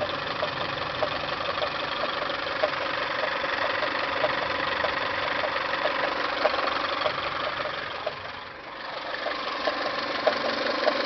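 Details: Toyota 5S-FE at idle: light, sharp ticks about twice a second, fairly regular, from timing belt/water pump area; upper timing cover removed, source still unknown, lower cover next.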